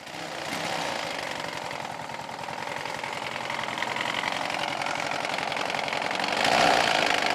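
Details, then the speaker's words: 14.5 HP Briggs & Stratton OHV engine, still running but very noisy: harsh, rapid, rattly knock steadily under the engine note, following its speed; owner suspected something snapped inside (counterweight or camshaft), not the rod. "something snapped inside and I figured to counterweight or camshaft or something something wrong somewhere"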